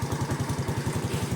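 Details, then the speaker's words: Small single-cylinder Yamaha FINN motorcycle with a modified 53 mm bore stage 2 engine, stock gearing, cut exhaust: even, quick low putter about eight pulses a second at idle, no knocks or misses. The engine runs and idles quietly, healthy. "อ่ะเช็คเครื่องหน่อยเครื่องยังติดมั้ยโอเคนะก็เครื่องก็ติดดี"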